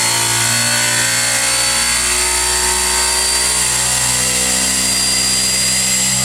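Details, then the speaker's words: Series (universal) motor after load testing up to about 9 units of torque, now running fast at just over 4,120 rpm: an even, high-pitched whine with brush hiss, steady speed and no knocks; normal running. "So it looks like I got up to around just over 4120 RPM. So that's pretty fast motor."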